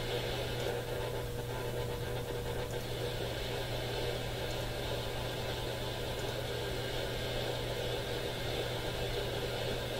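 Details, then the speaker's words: AM radio scan at top of the AM band: constant hiss, steady low hum and faint buzz, no clear station; radio interference noise, owner suspects the smart power meter on the house power service. "It's the only station we've picked up clearly, and even that one has interference in the background. We're at the top of the AM band now. I wonder what all this is."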